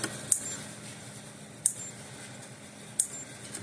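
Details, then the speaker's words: Power Wizard PW18000 18-joule electric fence energizer tested on half power (normally about 5,000 volts): faint sharp ticks about every 1.3 seconds with no strong snap; pulsing but essentially zero output, transformer judged failed, replacement planned. "oh we're getting we're getting Z zil out of it not a nothing out of it so the transfer is definitely garbage"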